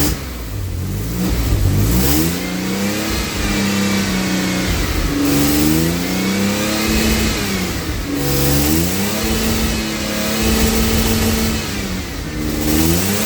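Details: AJ30 Jaguar / Ford Duratec V6 in a Gilburn Invader on ME360 ECU, cold, during VVT setup: repeated revs climb then flatten and drop abruptly at the top, like a rev limiter coming in.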